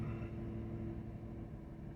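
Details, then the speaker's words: 2014 Ford Edge 3.5 V6 AWD after fuel pump replacement (had intermittent fuel level sensor codes, erratic gas gauge): starts right up after priming, smooth steady low V6 idle with no misses, knocks or ticks, no check engine lights, fuel level reading correctly. "no check engine lights running really smooth and the fuel level is at its correct level and that's how you do it guys"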